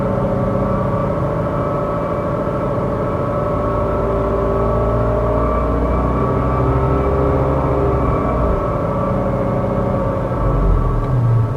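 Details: 2017 Kia Sportage SX Turbo, petrol, under 15,000 miles: a steady, even-pitched metallic whine rides over the engine hum from 1,200 rpm upward, present on most days and still undiagnosed by the dealer. It has also had repeated cracked spark plugs in cylinder 3.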